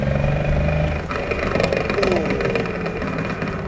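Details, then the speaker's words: Ford AU XR6 with a blown used manual gearbox bought online: loud, uneven metallic rattling over the engine with the clutch out, like bolts in a blender, silent with the clutch pressed in; badly damaged gearbox internals. "So with the clutch out, it sounds like bolts in a blender. Put the clutch in, silent."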